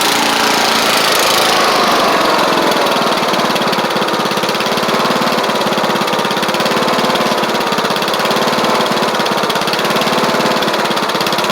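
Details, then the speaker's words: Troy Bilt Bronco riding mower, Kohler Courage single-carburetor engine, after deck, spindle and drive belt work: steady, fairly even buzzy idle with no hunting or surging; normal idle. "yall hear it running pretty good so we're just going to let let it warm up"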